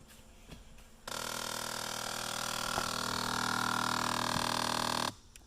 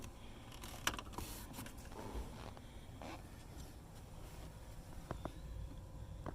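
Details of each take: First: Jeep Liberty: rapid ticking under the dash, about four a second, whenever any door opens, from a failing blend door actuator; fix is replacing it (Dorman 604-037) or unplugging it. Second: Jeep Liberty, ignition on with engine off, HVAC switched to hot to test the blend door actuator under the dash (Dorman 604-037 replacement for door-open ticking). A few soft separate clicks as the door motor travels, then quiet; normal actuator operation.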